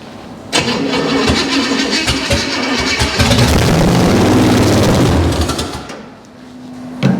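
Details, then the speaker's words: Junkyard 305 V8 on first start, idle cranked up. It fires, runs rough for about five seconds, then sags and dies before cranking again. Fuel starvation suspected: it's not getting any fuel, though oil pressure is present. "why is it dying You' think it wouldn't want that much"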